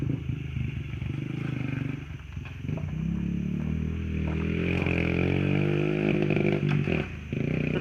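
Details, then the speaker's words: Honda XR50 pit bike with aftermarket pipe, under riding load and hot: uneven, stumbling exhaust with the beat breaking up and wanting to cut out; worse than on Sunday's ride despite last night's carb clean, and the owner suspects the carb needs recleaning. "It didn't really sputter all that much when I rode weekend Sunday, but now I get into it, wants to cut it out."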